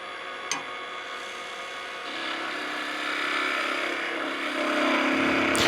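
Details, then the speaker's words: Skew chisel chatter while turning a thin hickory spatula on a Oneway 2436 wood lathe: scraping cut with buzzing vibration as the thin piece whips, trailing underhand grip not stabilizing it, leaving chatter marks. "I mean, you can hear the chatter marks. If you can hear the vibration, you know it's not working."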